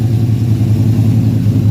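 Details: 1974 Chevy Caprice Classic V8 with 4.11 rear gears and new brakes, finished after rebuild. Deep, steady burble at idle with an even low pulse, no ticking, knocking or misfire; normal healthy idle.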